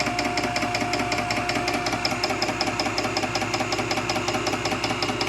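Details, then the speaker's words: Nugier Co. 100-ton hydraulic press with long ram stroke: steady pump hum with even light ticking pulse about two and a half per second, no strain or knocking; motor sounds good, no weird noises, normal operation. "So sweet. That has a really long stroke to it. It sounds good. Motor sounds good. No weird noises."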